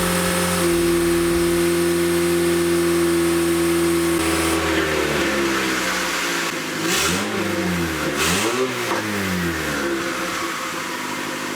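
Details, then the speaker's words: Honda Civic D16Y8 turbo build, run after fitting the wastegate with its firing ring; steady idle and clean rev blips with no hiss or exhaust leak at the wastegate, healthy exhaust note. "guys it's finally on it's not leaking out of here you actually hear the exhaust now"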